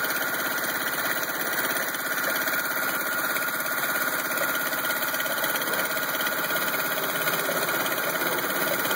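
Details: Rough idle on a 1986 Honda CRX: uneven, loose stumbling beat of roughly 100 per minute that never settles into a steady rhythm.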